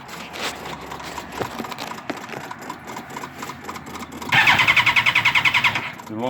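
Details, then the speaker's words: Suzuki GSX-R1000 K1: starter cranks fast and even but engine won't start; fuel pump heard running, it briefly started on starting fluid; kill switch recently replaced. "the neutral my problem is over everything comes on but it won't [ __ ] start"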